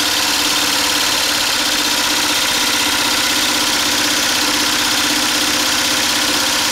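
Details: DIY 12V DC small gasoline engine-alternator generator running with battery bank and inverter, used to power a whole house: steady, even buzz under constant load, no surging, misfire or knocking; normal running under load.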